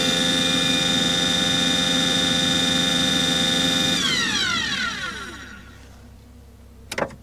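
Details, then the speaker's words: Aqua Hot 400D RV boiler burner: high steady motor and fan whine with no flame rumble, then it cuts out and spins down. It runs without igniting; there is no raw fuel smell, and warm air is blowing from the exhaust. "Well, I'm starting I think we should have lit off by now. Well, I don't smell any raw fuel. And I've got air blowing out of the um exhaust like it should be."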